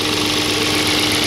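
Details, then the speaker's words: 2002 Audi S6 C5 4.2 V8 ANK after engine reinstall: fast metallic chatter over idle with thin whine from the right cylinder head near the tensioner; oil pressure needle flutters until oil exceeds about 60°C; top-end rattle, traced to cam adjuster. "І тут явно чути сторонні звуки. Тут тихо. Там щось є."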